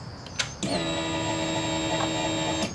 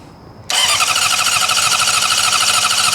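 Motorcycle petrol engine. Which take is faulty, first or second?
second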